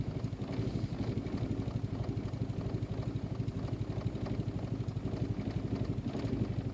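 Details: Audi/VW 1.8T: steady cranking at about four pulses a second that never catches; hard starting, cause not yet clear.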